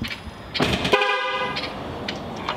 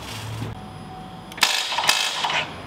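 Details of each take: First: 2021 Duramax Silverado 2500 rebuild, horn tested on jump-box power before first engine start: a steady two-tone honk sounds clearly for about half a second; the horn is working normally. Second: 2021 Chevrolet Silverado 2500 Duramax diesel rebuild, first start attempt; a few sharp metallic starter clicks with no cranking, not enough battery power until a second jump box was added; starter click from low battery power.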